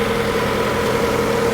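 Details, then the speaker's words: Dirty salvage-auction car with a 2.4 engine, earlier heard misfiring at start, now idling: steady, even low hum with no skips or knocks; seems to be running all right. "got a really dirty multi-year 2.4 which now that it's running actually seems to be running all right"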